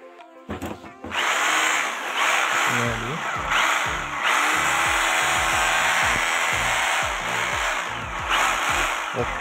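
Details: Size-26 hammer drill after its chuck (mouth set) was rebuilt with circlip, plate washer and rubber washer: steady high motor whir with a fast hammering buzz at even speed over background music, so the drill runs normally.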